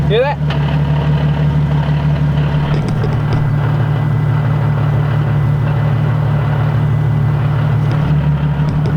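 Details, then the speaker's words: Nissan 370Z Nismo with upgraded clutch and lightweight flywheel, at idle: steady low idle with a fast light rattle underneath that shifts as the clutch pedal is barely pressed. Lightweight flywheel chatter at idle. "you hear that chattering that's what happens when you get a lightweight flywheel"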